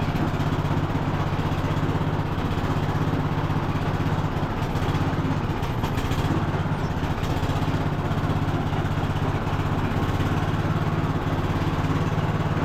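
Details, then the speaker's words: Cub Cadet LT1045 riding mower, single-cylinder engine, being revived from non-running, driven to test functions: steady engine drone with even drive whine, no clunks or grinding; hydrostatic transmission sounds fine and smooth, drive belt still to be checked. "transm sounds fine nice and smooth we're going to have to check the drive belt on it"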